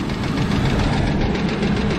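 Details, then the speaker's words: 1996 Chevy Blazer at a rough idle. A steady, deep, even knock seems to come from the bottom end, possibly the front two cylinders. It began knocking on the interstate and was shut down; the owner suspects rod knock, not confirmed. "well I'm no expert and I have no idea what I'm doing sounds like a rod knock to me"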